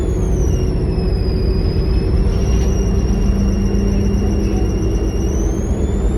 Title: NXWM 2140 with a strange turbo whine 😂